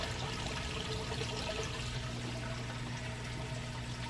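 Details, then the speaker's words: 4-year-old Samsung HE top-load washer on heavy duty, heavy load of jeans and towels, moving from wash to rinse: steady pump hum under rushing water, even and unbroken, emptying the tub quickly; normal draining. "So from here it's going to spin out, it'll fill back up, rinse, then it'll drain out, and then do the final spin."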